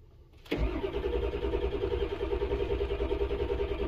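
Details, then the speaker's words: 1999 Ford F-250 7.3L Power Stroke diesel after resealing injector O-rings for a no-start with codes P1211, P1212, P0340: cranks briefly, catches at once and settles into an even, steady idle with no misses. "okay so after you replace the o-rings this thing started up a lot faster than before and uh and it ran and it ran fine and no more issues"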